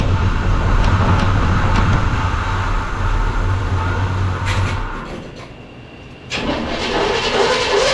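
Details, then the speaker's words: 1975 Chevy C10 Squarebody V8, first start after 20 years sitting, primed with fuel. Low, lopey idle that stumbles, drops off, then catches again; it fired and idled a little. "So, what do you think? That was awesome. Good old girl. Fired up and she idled a little bit."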